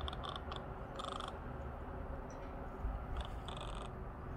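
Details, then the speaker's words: Heavy art-type camera lens, heard while recording video: faint, short buzzy chatters in quick bursts as the lens hunts for focus; noisy autofocus motor. "ну конечно же она очень шумит слушаем он тарахтит"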